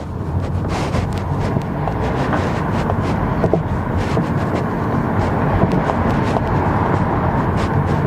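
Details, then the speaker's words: 2007 Kia Rondo driven over rough road with scattered dull clunks from the front end among road noise, from a worn front stabilizer bar link. "complain of this car it has a clunking sounds oh yeah there is you hear it yeah confirm it has a clunking sound"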